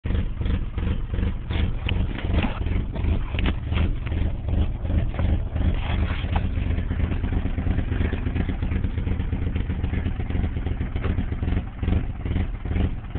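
Low idle with an uneven, stumbling pulse and loose beats that never settle into a steady rhythm; a rough-running idle.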